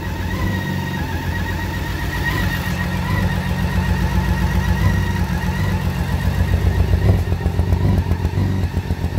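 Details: 2012 BMW K1600GT six-cylinder motorcycle idling: rough, stumbling misfire caused by water getting into the spark plug holes, with cylinders 1 and 3 waterlogged.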